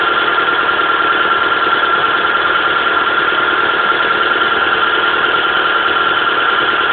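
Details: Mitsubishi Pajero Mini small petrol engine at high idle with a rough, uneven pulsing from a steady misfire.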